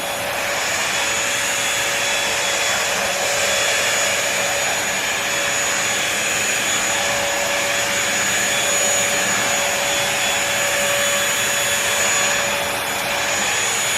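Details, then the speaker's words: Bissell 3-in-1 Lightweight Stick Vacuum (model 2030) switched on for a first test on crumbs and sand: a steady, even high-pitched motor whir with a constant airy rush, no surging or rattles; normal running. "Now it's time to go ahead and test this out. After this, we're gonna go straight jump into the carpet and see what that produces. Y'all ready? Turn it on so you can hear how it sounds."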